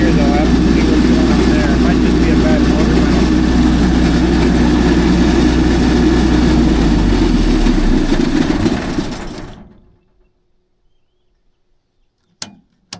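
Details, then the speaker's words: MEP803A 10 kW diesel military generator, low hours, now putting out power after a loose field-flash wire was fixed; steady fast even clatter for nine seconds, then winds down; kind of noisy, cause unconfirmed. "I did find a loose wire in the circuit that flashes the field, but now it's putting out power. 40, 60 hertz. Adjust the hertz adjust well. It's kind of noisy"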